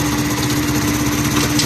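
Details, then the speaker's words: Honda CD 70 motorcycle after repairing worn gear locking dogs that stopped the wheel being driven: small single revs steadily with an even buzz, no knocks or clatter, shifting through 1st to 4th gear; normal running in gear. "ये दूसरे गियर में भी डाल गया और अब हम इसके तीसरे गियर में डालेंगे। ये देखिए दोस्तों, तीसरे गियर में भी डाल गया और चौथे गियर में भी डाल गया।"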